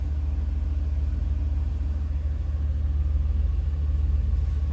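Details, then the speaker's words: 2013 Chevrolet Silverado 2500 HD, 6.0 gas V8, idling just after spark plug, plug wire and heat shield replacement: deep, even idle with a steady pulse and no misfire stumble or ticking; sounds smooth and settled, normal idle. "okay looking good looking good like these gauges pretty pretty cool pretty classic pretty utilitarian it sounds good so I think I'm going to leave it at that"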